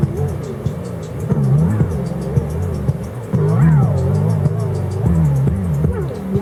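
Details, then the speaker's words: Sanyo RD-W41 dual cassette deck, about 1987, playing a tape it recorded: music pitch bends up and down irregularly from worn, slipping drive belts, while the high end stays clear. "oh man these belts are going well that's what a bad belt sounds like"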